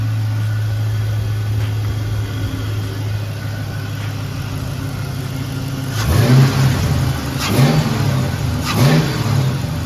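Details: LS-swapped car after fixing excessive fuel pressure, pressure now 58–59 psi: steady deep V8 idle, then three clean blips rising and falling back without stumbling. Normal idle and revving.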